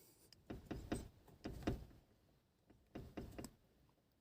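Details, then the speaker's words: Car rocked by hand to reproduce a year-long knock in the rear wheel arch: bursts of dull clunks, two or three per push; a rear strut top mount bolt not tightened and loose. "так вот я дергаю машину и вот этот вот этот болтик блин не докручены там болтается собака"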